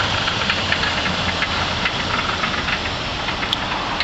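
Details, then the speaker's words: 2003 Infiniti FX45 V8, 208,000 miles, one owner, idling: light uneven knocking ticks about two per second over a rough idle; internal engine noise of unknown cause. "It's a slight, you know, engine noise in it."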